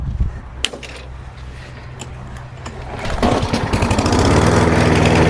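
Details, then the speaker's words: Warm single-cylinder lawn mower after winter storage: catches on one pull and settles into a strong, even run; fuel problem confirmed. "Alright, one pull and starts right back up, so we know that there's definitely a fuel issue."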